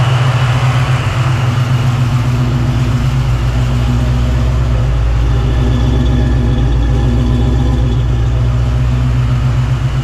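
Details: 1987 Saleen Mustang 347 V8 after fitting a new balancer, water pump possibly leaking: deep, steady idle with even pulses and no knock, miss or surge. Temperature, oil pressure and vacuum good; normal idle.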